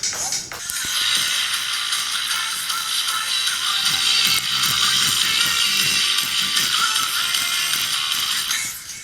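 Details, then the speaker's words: 2012 MacBook Pro: music through a thin, bass-less laptop speaker with a harsh crackly edge; the rubber surround has peeled off the speaker, later fixed with rubber cement. "so the rubber pad around this speaker is peeled up so that's the reason the sound is breaking"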